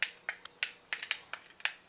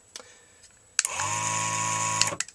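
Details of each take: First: Motorized BEME e-Rod curtain motor unit: sharp dry irregular clicks about every quarter second, no motor hum; moves only one direction, power adapter swapped and ruled out; failed relay inside the motor unit. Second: BEME e-Rod motorized curtain drive unit after replacing a failed relay and re-soldering: clean steady whirring gear-motor runs just over a second each in both directions; motor operating normally after repair.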